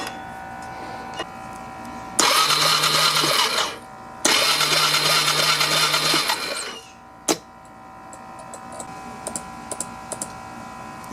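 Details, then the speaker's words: 1999 Yamaha Bear Tracker YFM250 ATV, electric starter cranking in two short bursts with faint irregular popping; it never starts and there is no spark. "listen to that loud popping so what the hell is going on with that all right so it tried it was turning over did you hear that spurting noise there it goes strange but i know i'm not seeing any spark either"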